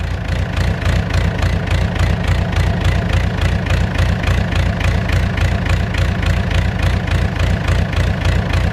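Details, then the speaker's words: Mustang skid steer diesel after cleaning injectors and tightening lines: idle pulses almost twice a second, revs rising and falling; surging seemed gone but returned, cause not pinned down. "seems like it kind of went away nope there it is again it's back I just heard a second ago"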